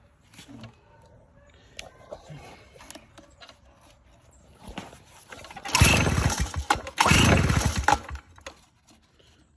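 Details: Stihl BR 340 backpack blower after no-start, flooded carburetor cleaned of excess fuel: a few rattly pull-start attempts, then the two-stroke catches and revs in two loud bursts; normal start now.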